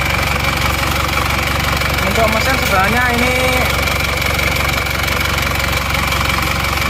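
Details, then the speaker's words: Isuzu Panther LV Adventure diesel, owner complains it runs rough though not blowing by: idle with loud uneven clatter and knock, harsher than normal; finding the cause needs a full teardown, not confirmed; rough idle. "ini memang suaranya agak suara kelek gitu ya Jadi kurang halus memang saya mesin kurang halus"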